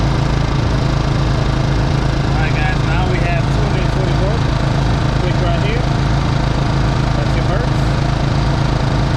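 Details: Two GENMAX GM4600i dual-fuel generators with parallel kit, just started, for 120V/240V output: steady low drone together, constant speed, no surging or misses; normal running.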